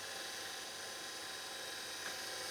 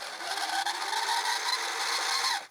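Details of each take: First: Panasonic S-VHS VCR PV-VS2841 (2003) after maintenance for a shrieking noise: steady, smooth high-pitched whir fast-forwarding with tape threaded, no squeal or shriek; transport healthy. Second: Panasonic PV-VS2841 S-VHS VCR (September 2003, 21 years old), on rewind: shrill screech climbing in pitch as the reels spin up; owner is 99% sure the take-up reel wheel is the source, likely dry reel gears.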